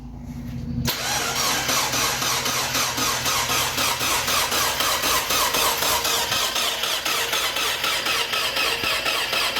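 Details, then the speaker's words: 1.8 BP4W Miata engine, freshly rebuilt, car sat a decade: steady cranking about four beats a second for several seconds, never catching. No fuel pump running; main fuse found blown, failed pump suspected. "all right so we do not have any fuel pump running so chase that check the fuse and then uh go from there might have had a failed pump"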